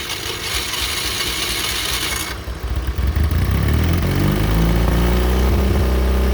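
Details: John Deere Model R after freeing gummy sticking injection rack and injector work, started by rebuilt pony motor: a few seconds of cranking, then catches into an even, steady chug gathering speed. Started easily; normal, healthy running.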